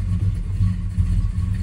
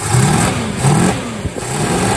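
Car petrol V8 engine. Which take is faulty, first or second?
second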